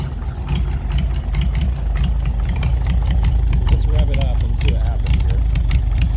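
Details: 1940s Oliver 70 tractor, first start in about 12 years: old engine chugs unevenly at idle, nearly quitting, and stumbles and bogs on throttle. A knock is suspected from the top end after a valve adjustment; oil pressure is good.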